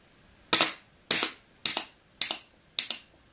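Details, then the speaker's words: Mercedes 722.6 automatic transmission shift solenoid bench test on 20 psi improvised air supply: five sharp clicks, each with a brief hiss of released air, showing the solenoid holds pressure and vents normally when opened. "perfect so I could see that it was holding the pressure when it opened the air throughout on"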